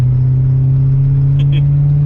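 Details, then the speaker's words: 1963 Ford Galaxie with Holley Sniper EFI under wide-open kickdown: deep steady V8 roar with faint sharp pings, light spark knock; timing pulled back 2 degrees and the knock was gone. "Heard a bit of knocking, so I pulled 2 degrees out."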